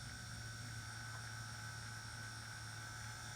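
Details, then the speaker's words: G gauge locomotive motor block on a benchtop power supply, slowly powered up after gear inspection and lubrication: faint, even whir with a steady fine gear tone, no ticks, rattles or vibration; normal smooth running. "And as you can hear, it's nice and quiet. I'm actually feeling for any any weird vibrations. It's nice and smooth."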